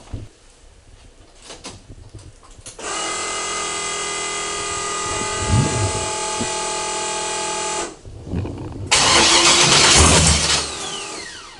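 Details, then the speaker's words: 1976 Camaro, 600+ hp forged V8, first start after swapped MAP sensor wires twice filled the crankcase with fuel: cranks, fires and settles into a loud, lumpy, rowdy, even idle. The coolant temperature is rising and air pockets are suspected. "that sounds [ __ ] Rowdy dude"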